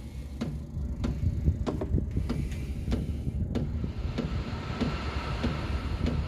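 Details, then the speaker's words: Diesel heater installed in a DIY fox box, starting up: sharp, even fuel pump ticks about every half second over a low fan rush as heating begins; running normally. "the next stage will hear you'll probably hear the fuel pump working next there's a fuel pump starting go now as you can see she's starting the heat designated now"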